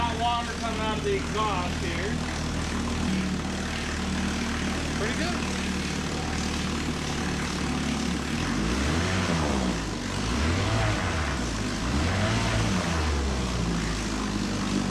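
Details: 1954 Johnson Seahorse 3hp two-cylinder two-stroke outboard running in water after fuel, points and carburetor work, mixture leaned, no neutral; a steady buzz with some wavering revs, pulling evenly, healthy running.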